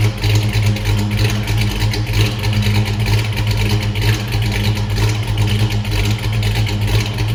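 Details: 1979 Mustang Pace Car V8, first startup, new polished Flowmaster exhaust: deep lumpy burble surging and sagging around a slow idle; rough idle, owner says carburetor is too big, planning a Holley Sniper kit.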